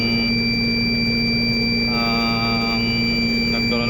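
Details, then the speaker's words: Reefer truck chiller controller sounding a steady high-pitched electronic buzz over fan noise, the fuse-bad alarm; the blower fuse blew because the fan blower's carbon brushes had worn too short, and the brushes are to be replaced. "so aan po meron pong lumabas na error ang nakalagay po ay fuse buad"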